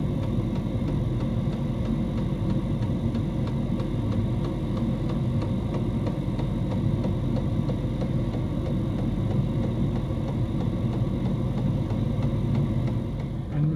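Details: Diesel heater in a homemade fox box at full temperature, 87 °C at the heater pipe outlet: steady low hum with even fast pulsing, no knocks or rattles; running smoothly at full output.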